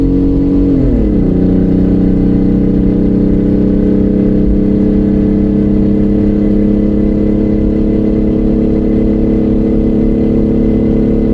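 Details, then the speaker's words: Straight-piped 2005-2010 WK1 Jeep Grand Cherokee V6 with no mufflers, cruising on the highway at about 70 mph and 3500 rpm: a loud, raspy, droning exhaust holds one steady pitch after a brief drop in revs. "The biggest thing that I'm afraid of right now is that other people driving on the turn bike will see this truck going the speed limit sounding like this and think that this is a stylistic choice that I made. My god, what a bunch of racket."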